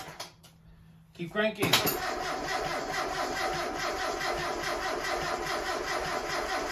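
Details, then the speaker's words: 1992 NA Mazda Miata with a freshly reassembled engine, dry-cranked in neutral with the clutch in and the coils unplugged to prime oil: an even starter whir with a soft beat nearly three times a second and no firing; normal crank. "we are gonna go ahead and do a couple of cranks dry so that way the oil pump can get some oil in the pistons get that going before we actually plug in the rest of the coils and get it started"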